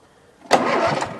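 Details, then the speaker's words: Murray riding mower engine, electric start on battery with new charger: under a second of brisk, even starter cranking that dies away; turns over freely, cranks fine. "it cranks fine"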